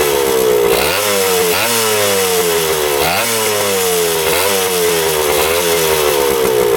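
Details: 1977 Kawasaki KE100 two-stroke enduro, revived after 10 years parked, no air filter: pitch rises cleanly in repeated blips about every second and a half and drops back smoothly; revs out fine.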